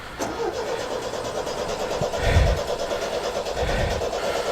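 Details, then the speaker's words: MGB 1800cc engine, run a few years ago and rested long: steady cranking with regular compression beats but never catches despite choke and throttle; fuel pump still ticking, owner wonders if it's running out of fuel. Cranking no start. "hmm all right stop stop stop i wonder if it's running out of fuel because the fuel pump's turning away is it still going yeah fuel pump is well classic bl it doesn't want to start now"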